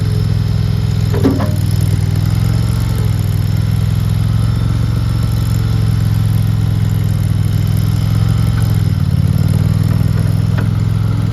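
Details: RODA RD380C mini skid steer loader, gas-powered engine: steady even drone at constant speed, no knocks, misses or rattles; runs smoothly and healthy.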